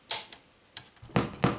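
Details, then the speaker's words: Sony TA-V3 stereo amplifier, switched on, board pressed by hand. Irregular sharp crackles and pops on several channels come from bad solder joints at the rear input/output board and loose cable connections. "yeah it does so there are some connection issues going on in here"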